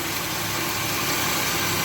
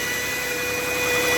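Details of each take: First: 2007 Chevy Equinox after replacing the alternator, idler pulley and belt: even idle with no whine or bearing growl; the noise quit, confirming a bad bearing in the old alternator. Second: 2007 Chevy Equinox engine at idle: steady high-pitched whine of constant pitch over a quiet idle, from the alternator or adjacent idler bearing; fixed by replacing alternator, idler pulley and belt.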